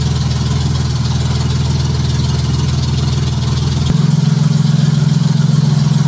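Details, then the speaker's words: Junkyard Honda J35 V6 with 183,000 miles in a Baja, start on AEM Infinity ECU, warming up at idle before throttle: smooth even low beat, no knocking or valve clatter, good oil pressure; healthy. "yes yes fired right up i'm not going to hit the throttle yet i'm going to let it warm up a little bit first"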